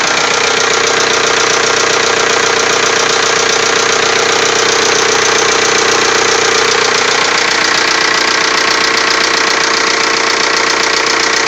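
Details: TDI diesel idling just after a cylinder head replacement: a steady, sharp, very regular tick of about 150 per minute; owner suspects a valve, cause uncertain.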